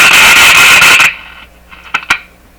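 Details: Circa-1955 Viking Model 54-51 six-tube broadcast radio, tubes being wiggled in sockets to clean pins: loud harsh hiss roars about a second then cuts out to faint crackles; poor tube-pin contact.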